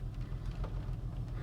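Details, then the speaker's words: 2004 Honda Pilot petrol engine after replacing the Bank 1 Sensor 1 oxygen sensor (P0132, random misfires), codes not yet cleared: deep, uneven, wavering rough idle; runs fine once codes are cleared. "and it's still running rough"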